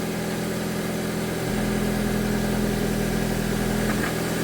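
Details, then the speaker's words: Engine's first start after head removal and reinstall: slight initial misfire clears, then steady, even idle with a regular low pulse and faint whine; runs smoothly, oil circulating. "I expect to misfire this ever so slightly. Clear itself out. It's running good now. Perfect."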